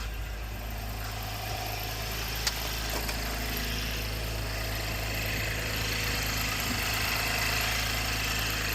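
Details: 2017 Chevy Camaro started after coolant sensor and thermostat replacement, with coolant filled to the cold fill line. Smooth, even low idle with a steady hum and no knocks or misses; running normally.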